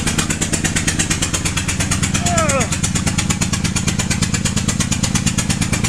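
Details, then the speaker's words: 2007 Honda Pilot (first generation) after hitting ramp, check engine light with bank 1 sensor 1 O2 open circuit: hard regular puffing pop about twice a second like a lawnmower over idle; spark plug blown out of cylinder under ignition coil. "so now the engine sounds like this sounds like a lawnmower right i don't know what's up"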